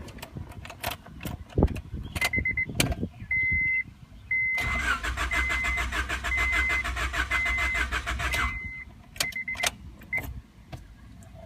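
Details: 1994 Honda Accord EX: door chime, then about four seconds of even cranking with no firing; crank no-start with no spark, injection or fuel pressure, caused by failed engine control unit, crank sensor first suspected.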